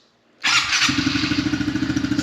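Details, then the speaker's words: New 2023 Honda CRF110F pit bike electric start: short starter whir, fires right away with automatic choke, then settles quieter into a quick, even put-put idle; not yet broken in; healthy start. "but it has like a automatic like choke when you first start it up um that's why it kind of got a little quieter which is pretty cool"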